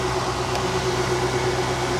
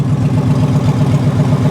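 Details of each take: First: High-mileage 2007 Infiniti M35 (288,000 miles) at a salvage auction, listed as mechanical damage, idling with a steady even hum and no knocks or misses; alternator charging 14.4 V, some smoke likely oil burning off valve covers; runs great. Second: Ford F-150 3V V8, two-wheel drive, idles with a loud, deep, raw exhaust burble because the catalytic converters were stolen; the missing cats mask any cam phaser rattle, no check engine light yet, engine seems to run well.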